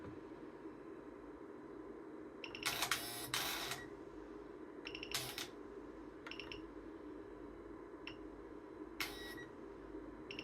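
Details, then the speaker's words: BMW exhaust flap actuator 18308686640 bench-driven by a 100 Hz PWM signal while the duty cycle is changed; short whirring motor bursts of a second or less with quiet hum between, normal actuator travel. "So if all I'm going to do, and you'll be able to hear it first, I'm going to change the duty cycle."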